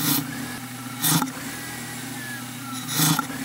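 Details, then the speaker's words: BMW E46 with air filter removed, owner also hearing pops: each throttle blip brings a sharp airy hiss rising and falling with revs; intake vacuum leak. "Nie wiem boję się ale przynajmniej wiem że to stąd syczy dosłownie z tego wydobywać Ten dziwny dźwięk"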